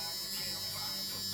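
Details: '89 Suburban being rewired with a temporarily slaved push-to-start switch; the warning buzzer works only sometimes: a thin, steady high-pitched electric buzz over quiet cab hum; intermittent fault.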